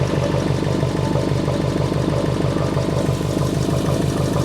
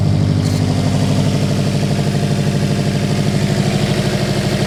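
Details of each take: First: Subaru Impreza with EJ engine, back running after six years off the road, following timing belt, water pump and radiator replacement. Steady idle with a rapid, even pulsing chatter about three beats a second; an annoying noise whose source is not yet found. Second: Subaru Impreza EJ engine after timing belt, water pump and radiator replacement, following an O-ring and coolant pipe clip fix that solved both issues. Even idle pulse about three beats a second, no misses, knocks or whistles; healthy.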